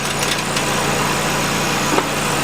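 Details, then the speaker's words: 2008 Nissan Qashqai 2.0 petrol, CVT, 4WD, 123,000 km, hot engine idling: a thin, fast metallic buzz under the car from the rotted-through heat shield on the catalytic converter/resonator rattling. "и вот этот звук когда прижимая а все понятно здесь отгнила плотно она и дребезжит насквозь прогнило"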